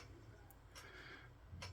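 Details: Seagate hard drive in a main computer stuck at the BIOS screen, still powered but disconnected from the board, making sharp dry repeating clicks over a low fan hum: click of death, drive failed.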